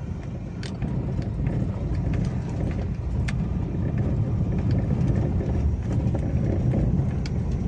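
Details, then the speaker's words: 2012-on Toyota Avanza/Daihatsu Xenia with electric power steering, driving over rough rocky road: scattered sharp clunks over heavy road rumble, felt in the steering wheel. A common fault from a worn steering gearbox (rack) bushing with play. "bisa didengar ada suara saat melewati jalan adalah ya suaranya tidak nyaman karena berada di bagian setir"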